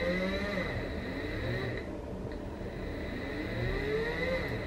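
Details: Brushless 3-phase motor on a WS55-220 driver at 30 V, sensorless with Hall sensors unconnected, power increased after a stall test: steady high whine sliding up and down with speed, smooth, no grinding; runs healthy.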